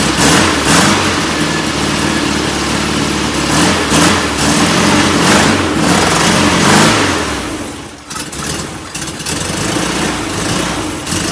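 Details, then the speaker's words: Performance VW air-cooled engine, reinstalled after a pushrod tube oil leak and distributor removal: catches, blips up and settles into a fairly even idle with no misfire or clatter; no oil leaking now. "it's a runner again no oil under it this time that's good that's a good sign"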